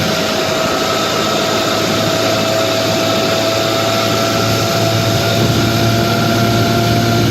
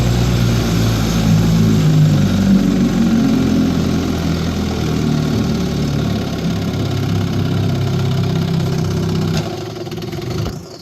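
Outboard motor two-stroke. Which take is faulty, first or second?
second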